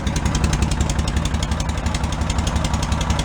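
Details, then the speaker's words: Cushman Meter Maid small single-cylinder engine, started after fitting a custom exhaust made from a cut-down motorcycle muffler, still leaking at joints and warming up off choke; steady, even putt-putt about four beats a second, no misses, healthy idle. "Let it warm up a second. Stay running. Yeah, it's got to warm up a minute. Not too bad. I like that in an idle."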